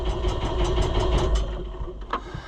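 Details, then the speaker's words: New Holland (Fiat-built) TN75DA diesel tractor with a known fuel leak, after sitting: starter churns steadily about six turns a second, engine never fires; hard starting from air drawn into the fuel. "So, typical Fiat, if it gets air in it, she don't start easy."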